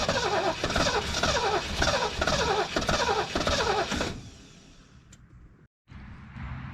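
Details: 1973 Mercury Grand Marquis Brougham, 429 Ford V8, C6, 55k original miles, long-sitting: starter churns about two beats a second for four seconds, never fires; cranks but won't start, suspected clogged fuel supply after fuel-filter work, before running off a boat tank.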